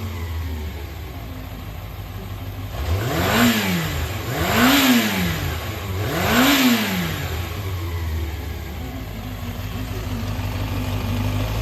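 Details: Yamaha XJR400 (early model) four-cylinder engine assembly, compression tested, start-up check: three clean throttle blips rise and fall smoothly back to a steady idle with no knocks or rattles; healthy engine, no abnormal noise.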